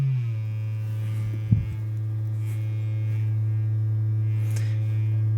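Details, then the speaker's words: Vintage 12-inch speaker with frame likely bent by an impact, below about 180 Hz: steady low tone with rough buzzing edge that firm pressure on the frame reduces but can't stop; voice coil rub. "I gotta push really hard and I I can reduce it but I can't stop it"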